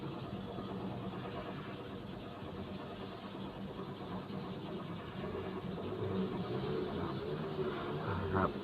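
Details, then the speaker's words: Mazda3 after fix for flashing key light and no-crank start, codes cleared: quiet, smooth steady idle with no stumbles or ticking; engine now starts and runs normally. "ครับตอนนี้เครื่องยนสตาร์ทติดปกตินะครับ"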